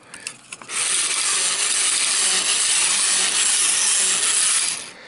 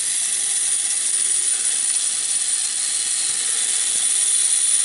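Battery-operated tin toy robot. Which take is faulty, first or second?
second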